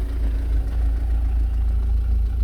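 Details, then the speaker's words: Car after O2 sensor replacement, idling about 15 minutes, nearly up to temperature, no engine warning light, manifold smoke gone: low even throb with steady beat, smooth with no knocks or misses; an unidentified mechanical rattle underneath. "oil started to move so she getting up temperature still no sign of engine any engine warning light and um smoking's gone the manifold which is good which sounds really good sounds smooth this all sounds good"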